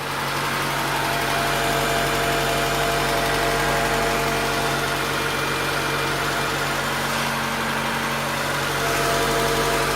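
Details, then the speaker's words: Honda Integra DC5 / Acura RSX base model petrol engine idles steadily and smoothly with no whine after the air-con compressor was bypassed with a serpentine belt; the whine was blamed on a failed compressor bearing. "ok so we're going to start it up now and hopefully fingers cross the sounds go yeah that sounds a lot better no whining"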